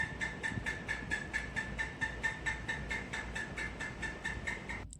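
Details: Orient ceiling fan: regular chirping tick about twice a second in step with rotation over a soft hum; worn motor bearing, fixed by replacing the bearings, after which the noise was gone.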